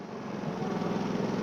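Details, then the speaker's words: Pulsar inverter generator after freeing an intake valve stuck by gummed old gas, which had caused backfiring and no start: runs smoothly in Eco mode at a low, even idle with no hunting, misfire or rough patches. "let's check this bad boy shall we engine on gas on there we go it smooth out Eco"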